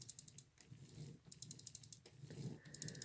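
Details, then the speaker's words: Marx 999 toy train motor after brushes were cleaned with alcohol and refitted (springs not cleaned): quick light clicking about ten times a second over a faint hum, as the brushes have yet to seat on the commutator; brush clicking. "I didn't clean the springs. I don't usually ever clean the springs, but you can hear the brushes now clicking."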